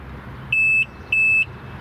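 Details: Yamaha FZS waverunner, the working unit with its key fob, shown for comparison with a sister unit that won't start. Two crisp, even high beeps of about a third of a second each in quick succession; normal unlock confirmation.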